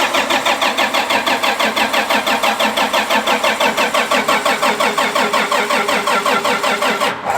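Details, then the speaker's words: Diesel tractor (the 340) after fuel filter change, owner suspects filter low on fuel: even starter cranking about three turns per second, never fires; crank no-start from air in fuel system, filter to be pulled. "pull off the one fuel filter I just have a feeling it it's low on fuel after changing it"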